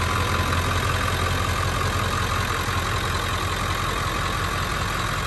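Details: 2000 Ford F-350 Super Duty dually 4x4, 7.3 Powerstroke diesel, 71,316 miles, fully serviced: even idle clatter with a deep steady rumble, no misses or heavy knocks; healthy, smooth-running idle.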